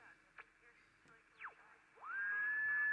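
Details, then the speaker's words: Battery transistor radio fault-finding with a second radio tuned about 450 kHz below (around 1050 kHz): quiet hiss, then a clear steady whistle around 1.6 kHz; the good radio's local oscillator works, while the faulty radio's oscillator produces none. "we hear the telltale heterodyne whistle [Music] because this radio also has this part generating this tiny radio frequency that you can receive on this radio"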